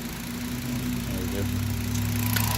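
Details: 2010 Volkswagen Jetta 2.5 litre CVT with cylinder 3 misfire after new ignition coil and new spark plugs (wrong NGK Platinum type replaced): low, uneven, lumpy stumbling idle; cause not yet found.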